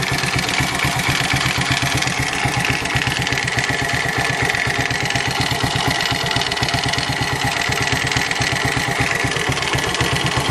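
Steady idle with a sharp, regular tapping about four times a second riding over the engine note; a knock from inside the engine.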